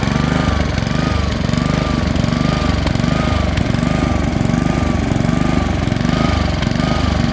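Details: Honda HRX217 lawn mower engine hunting, note swelling and sagging roughly every half second; caused by a dirty carburetor, fixed by cleaning it.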